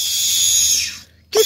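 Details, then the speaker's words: Peugeot 106 1.6 8v NFZ fuel pump, rebuilt after months unused, run after being lifted and drained with little or no fuel: loud steady high-pitched whistle that cuts out briefly then returns. "Qu'est-ce qu'elle a? On dirait un film d'horreur."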